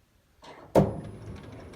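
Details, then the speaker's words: Electric tractor with Nissan motor and microcontroller-operated parking: one sharp heavy clunk as drive takes up and parking releases, then low motor hum; caused by a loose coupler into the Nissan motor, owner plans a tighter replacement, fears spline wear. "there's a loud clunk noise and that's due to the coupler that is coupling into the the Nissan motor I need to order a new one of those that's tighter because it's pretty annoying it's very loud"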